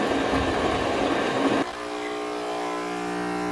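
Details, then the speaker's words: Home espresso machine after reassembly, pump running: harsh buzzing rattle for a second and a half, then steady drone, louder when pressed; high-pressure hose vibrating against cover; hose vibration rattle. "but this is not right there's a huge noise coming from over here somewhere on this side that is not normal so when i push on here the noise increases"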